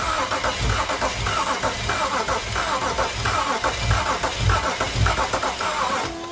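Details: BMW 335i bought as a non-runner, crank attempt on jumper pack: starter cranks steadily, just under two turns a second, but it never fires; sounds soft with uneven compression strokes, owner suspects low compression. Crank no start.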